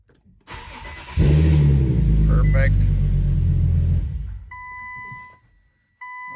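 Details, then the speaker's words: Infiniti Q50 that left its owner stranded, just after a new battery is fitted: a brief crank catches within a second into a strong, even idle, then a door chime after shutdown. Normal engine start. "well looks like we got power grab doors close so we're just gonna fire it and shut it off"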